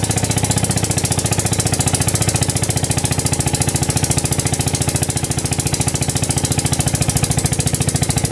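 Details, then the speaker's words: Villiers single-cylinder engine driving a 2-inch ASM diaphragm sludge pump via reduction gearbox, with a carburetor found in the shed; chugging about 214 beats a minute with an uneven loping rhythm, a little out of tune. "so I'll fire it up and show you it working so the engine is a little bit out of tune"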